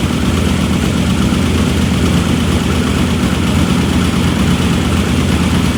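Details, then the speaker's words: Engine running again after head work, though an ARP head bolt leaked and later snapped: a steady, even low rumble with no knocks or misses. Normal idle. "now you can see it runs hmm that's about it sounds good"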